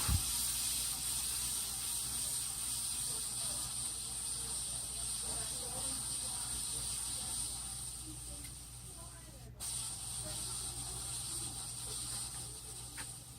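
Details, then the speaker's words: 53-inch Casablanca Spirit of Saturn ceiling fan running with bad bearings: a loud steady whirring hiss with a high whine from the worn bearings, which were later replaced. "Yeah, I heard that bearing noise before. It was that bad before."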